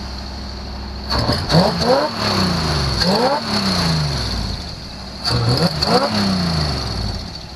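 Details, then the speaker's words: 1974 Chevy Nova being readied for autocross, after a fuel supply issue at the carburetor: three throttle blips rising and dropping back cleanly, holding on without stumbling or dying; normal running and revving. "um seems pretty good yeah it does should have died by now i think it should have died by now man"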